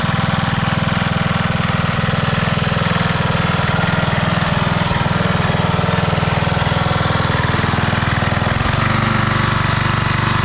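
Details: Restored 1991 MTD 12/38 riding mower: its small single-cylinder engine chugs at a steady, even beat about three times a second, with no knocks or misses. Normal running.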